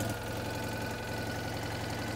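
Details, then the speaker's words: Citroën 2CV idling twin: fast, sharp puffing tick on every firing pulse, a raspy chuff from a hole blown in the exhaust manifold, with a metal flap getting very hot. Exhaust manifold leak. "oh right okay this is more serious when i thought she's blown a hole in the manifold so i've just pushed back a flap of metal under here that's getting very hot very quickly that's where the blow is"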